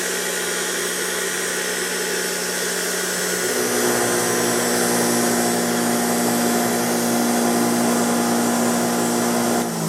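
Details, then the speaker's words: Used machine bought secondhand, first test run: a steady, even hum settles in after a few seconds with no grinding or knocking; no bad bearing noise, bearings sound healthy and it runs smoothly. "just want to see if most of that noise was just from the vibration on the bench and it is so I don't hear any really bad berry noise or anything in this thing so pretty cool"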